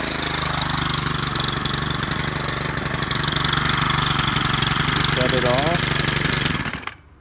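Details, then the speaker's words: Stihl FS100RX four-mix trimmer with new carburetor, fuel lines, fuel filter, air filter, spark plug and fuel cap. It starts and runs evenly at a steady buzzing pitch, picks up smoothly, then cuts off cleanly. Running strong and healthy. "it's a four mix engine so it does have quite a bit of torque compared to your conventional two cycle engine"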